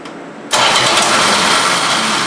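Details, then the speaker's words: 1973 Plymouth Duster, 225 Slant 6 with new 350 cfm two-barrel carburetor, manifolds rebolted with RTV on the steel gasket: starts at once and settles into a steady, too-fast idle with no ticking; normal idle, no exhaust leaks. "That is a lot better. No exhaust leaks. It's idling way too fast, but I'll handle that."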